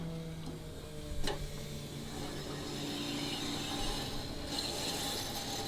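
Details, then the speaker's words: Hellephant 426ci supercharged Hemi swapped Toyota Supra on E85, before first start: steady low electric hum with faint whine as the fuel pump primes and the regulator holds about 69 psi; no leaks, normal operation. "Here our regulator regulating. I don't see any leaks at all. This is how things should go."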